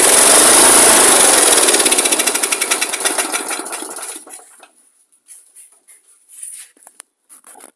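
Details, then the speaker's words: Old lawn mower engine with fuel of unknown condition, carb cleaner sprayed in: it catches and runs loud and fast for a few seconds, then the even beats slow and die away; it fires briefly, showing compression and spark are good. "so there we go guys so we got we know that we've got um everything's lining up there we've got the compression we got spark fuel fired up"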